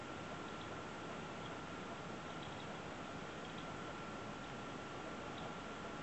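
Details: EVGA GTX 970 blower card at idle (29% fan speed): steady fan hiss and faint whine with soft, irregular ticks; owner asks whether the rattle means it is faulty.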